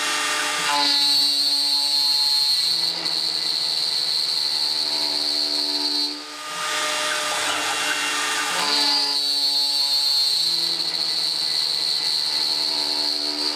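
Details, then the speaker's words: Millright CNC Power Route on its first cut: high shrill cutting whine with rough, wavering passes that dip and return. Spindle chatter, heavy near the top, leaving a rough finish and wearing the tool. "it shattered up here at the top a lot you hear that that was pretty helpful it's bad on my tool but I just wanted I to keep going because why not"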